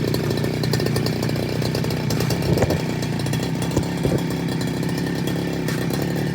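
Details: Two-stroke brush cutter that had been bogging and dying on acceleration, with fuel leaking at the carburettor; steady, even buzz with a clean, unbroken throttle note and no stumble or die-out; runs smoothly.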